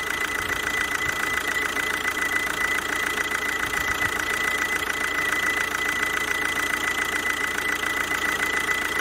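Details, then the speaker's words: Kia Ceed 2.0 CRDi 140 hp diesel at idle: thin, steady high squeal from the vacuum pump mounted on the alternator, leaking air; rollers, alternator bearing and A/C compressor bearing already replaced without curing the intermittent squeal. "na alternatorze jest pompa vakum która pracuje w"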